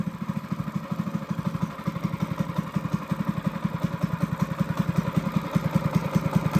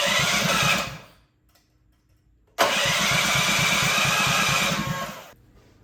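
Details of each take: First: Honda GX200 clone kart engine, carb jet drilled up to a 77 bit with good throttle response, unloaded: crisp, even single-cylinder beat picking up smoothly with throttle and holding steady without stumbling; normal running. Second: Honda GX200 clone single-cylinder engine clamped to a table stand, choke on, first start after build; catches, runs briefly and dies, restarts and fades again, lean; needs rejetting.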